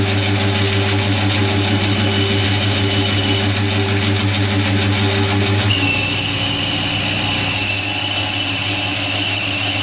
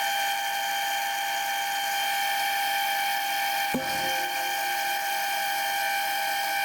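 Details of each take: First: Boring a face mill's bore: steady buzzing drone with a dull scraping edge and no crisp chip-cutting, suggesting the boring tool is rubbing rather than cutting; poor surface finish, so tool orientation will be changed. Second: Lathe boring a face mill sleeve toward 25.38 mm after fitting a new boring bar: steady high-pitched cutting whine with one brief knock, otherwise even and chatter-free.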